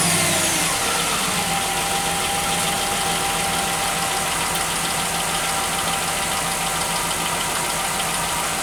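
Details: 2005-2010 Jeep Grand Cherokee 5.7 HEMI after alternator replacement and re-securing it with two nuts: starts quickly and holds a steady idle with no squeal, rattle or knock from the belt side; running clean, problem solved.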